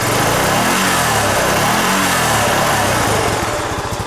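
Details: 2007 Honda Rancher ATV fitted with a second muffler after the OEM muffler got loud. Muffled, even single-cylinder thumping rises and settles with throttle with no exhaust rasp: a normal quiet exhaust.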